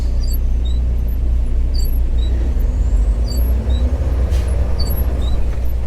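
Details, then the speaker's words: Truck with two brand-new wiper blades fitted the day before: short high chirps about once a second, in time with each wiper sweep over loud truck drone; the new blades squeak on the glass. "And as you can hear, they are squeaking."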